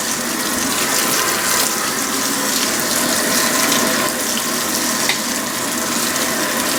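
A steady rush of water pouring into the drum, with no pump strain or mechanical noise; a normal fill.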